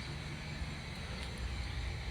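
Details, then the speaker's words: Dynamax Isata 3 24FW motorhome auto-leveling with ignition off; hydraulic jacks lower front feet first, about 16 inches of travel. Steady low hum of the hydraulic pump running evenly under load, no knocks or strain; normal leveling jack operation. "of ground those these are hydraulic that travel is probably 16 inches or so"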